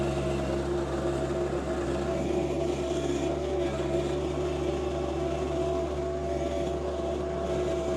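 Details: John Deere 2025R compact tractor with a Tarter RT205 rototiller, repaired after the top gearbox leaked oil and the gears seized. It is tilling garden soil with sawdust and ash. Even, steady drone with a smooth gear whine and no knocks or grinding: normal tilling.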